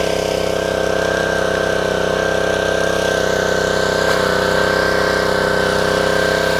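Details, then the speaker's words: Dumpster-rescued Ryobi 190cc Honda-engine pressure washer, first start after fitting a new 2800-3000 PSI vertical pump: even, fast engine beat with steady pump drone under water, no misses or surging; runs healthy. "so there you have it this thing actually works pretty good the pump was really good highly recommended easy to put on"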